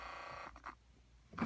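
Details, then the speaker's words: Ford HVAC temperature blend door actuator, microphone inside the dash by the HVAC box: a short, smooth motor whir that stops cleanly without hunting; normal on the cold side. A worn track makes it hunt on the hot side. "And you can see it hunting back and forth in there. until it finds position. See, the cold side's okay."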